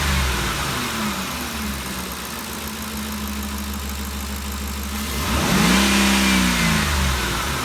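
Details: 2013 Ford Expedition after valvetrain repair for loud ticking (suspected cam phaser or timing chain): steady, even idle with one brief rev blip and no ticking or tapping; noise gone, engine healthy.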